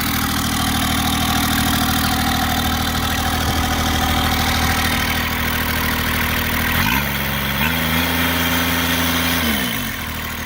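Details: Kubota GR2110 mower with an added RHB31 turbo, being driven: the small diesel's tone steps up and settles as revs change, with a light whistle on top. Normal turbo spool.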